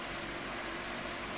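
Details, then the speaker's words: 2002 Midea 16" oscillating pedestal fan with mesh grilles, before cleaning and restoration, on medium speed: a steady, even, airy whoosh with a faint low hum and no rattle, scrape or wobble. Normal running, moving fairly strong air, though a little less than expected. "it's a little step up from low um in terms of airflow I think it's moving enough air to a point where I would say it's it's in the realm of powerful but"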